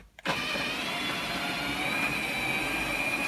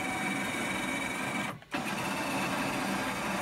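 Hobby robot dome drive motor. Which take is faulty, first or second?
first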